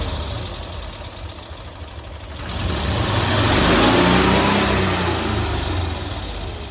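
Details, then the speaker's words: 1990s Cushman Truckster, long-sitting field find, restarted after first revival start; small engine idles evenly, revs up smoothly and drops back with no knocks or misses: running healthy. "Oh, I gotta hear it again. Fires right up!"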